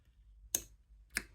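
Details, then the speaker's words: Rebuilt Rotax actuator motor from a Rover gas turbine on battery bench test: three sharp clicks as the brake releases but no rotation; brake sticking suspected. "Right, I can hear the brake coil, I can hear the brake coming off, but we've got no rotation. So let's try it the other way."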